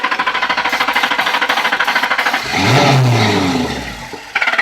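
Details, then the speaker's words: 2003 Lincoln Town Car, cranks but won't start: steady cranking chug, catches briefly on starter fluid sprayed into the throttle body, revs a second or two then dies; no fuel delivery, power and ground to fuel pump to be tested next. "right now as you can see we have a fuel delivery problem so I can't just count and say on the fuel pump"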